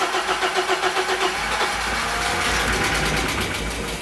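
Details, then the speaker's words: 1980s BMW E30 M Sport homologation car, parked for years and being test-started. The starter cranks steadily at about four turns a second and the engine nearly catches, then dies back: the fuel pump is dead (kaput). "well oh that was near as damn it there we go so the that fuel pump that fuel pump is yeah kaput"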